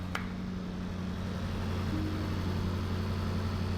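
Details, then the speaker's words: Range Rover SVR after engine swap and reinstallation with subframe, first start, cooling fans on: smooth, even idle with steady low rumble and fans whooshing, no knocks or misses. "I think it's working. I think it's working. It sounds well smooth."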